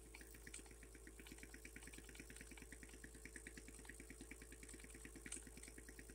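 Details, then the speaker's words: Taolei model pneumatic piston engine, single-cylinder, newly built, running on about four psi of compressed air: quick, even puffs about three per second over steady air hiss; nice running, though maybe short of air; normal running. "yeah it's a a nice running Little Engine it's just this little guy here"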